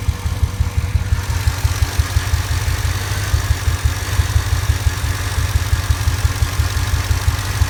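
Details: Truck with 5.4 2V V8, intermittent bank 2 misfire for three months, coil pack replaced, injector cleaner tried, no codes: lumpy, uneven idle loping near three beats per second with occasional stumbles. Rough idle with misfire.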